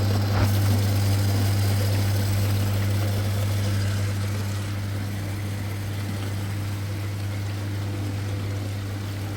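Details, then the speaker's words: Old General Electric dishwasher, wash motor repaired by replacing the relay contactor, starting once the sump fills: steady low motor hum around 100 Hz with water swishing through the upper and lower wash arms; running normally. "Now you can see, you can hear. Now motor already start."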